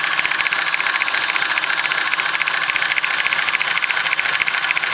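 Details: Isuzu 3.5L 6VE1 V6 idling with a sharp, fairly regular knock, about three to four beats a second; timing belt tensioner already replaced, not the cause; rod knock suspected, not confirmed.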